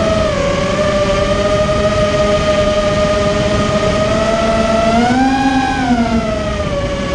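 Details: Immersion Vortex 250 Pro quadcopter motors on test run after fixing bad bearing sounds, which the owner thinks are fixed; one motor slightly warm afterward: clean steady whine rising briefly and settling, no gritty rasp. Bearings sound smooth.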